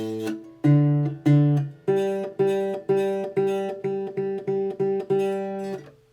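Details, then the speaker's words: Acoustic guitar after truss rod adjustment leaves no neck relief, the neck flat or back-bowed: plucked notes with a faint rattling fret buzz on the attacks. "get the string get the bow to be very minimal and probably even even low enough that it might cause buzzing and we'll just see"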